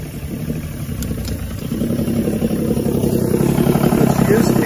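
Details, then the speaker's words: 1986 85 hp Force outboard on a Bayliner Capri, run warm in a test barrel in neutral: an uneven, lumpy idle that wavers, lags and stalls. It also stalls when put in gear, and the carburetors need rebuilding. "i can hear it i can actually hear it starting to lag a little you can almost hear it running this fall there it goes all right well then those carburetors do need built rebuilt"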